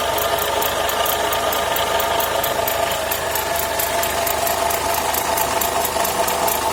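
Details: Renault Logan after alternator repair: steady idle with a fast light ticking, about ninety a minute, over the engine hum; abnormal noise near the alternator drive.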